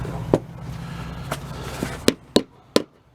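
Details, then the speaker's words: Multi-piece wheel and tire assembly: sharp, separate hammer blows on the lock ring ring out crisp and solid with no rattle, showing the lock ring has started seating onto the rim. "Okay, now you hear it sounds a lot more solid. So the ring is successfully started to seat onto the rim,"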